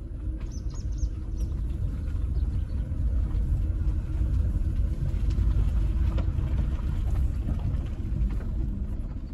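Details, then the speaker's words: Renault Zoe with the 5AQ motor at just over 68,000 miles, driven slowly forward: a deep, hollow rumble with a scraping edge, heard clearly in the cabin, marks early traction motor bearing failure. "yeah so that kind of um yeah Rumble scraping kind of noise um that is the early signs um of motor bearing failure"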